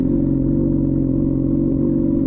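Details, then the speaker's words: 2007 Honda CBR600RR exhaust with its muffler inserts missing, after a full coolant flush and new oil: a steady, raspy, booming idle with a hard crackly edge and no muffling; far too loud, and a new exhaust is planned. "gonna probably get a new exhaust anyways because this exhaust is way too loud. Doesn't have the mufflers in it. It sounds good on camera, but in person it's just terrible."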